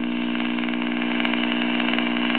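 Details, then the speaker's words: Early-1940s Silvertone AC/battery portable AM tube radio, with its rectifier tube replaced by a silicon diode, just powered on AC after years stored: steady low buzzing hum with rushing static. Owner suspects bad filter capacitors. "So, I plugged it up and it does work, but it has a lot of sounds like bad filter capacitor hum."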